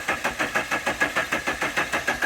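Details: 1985 Dodge Daytona Turbo barn find, cranked after spraying cleaner at reported Hall effect fault: steady cranking about six pulses a second with no firing; crank no start, Hall effect wires later found chewed off.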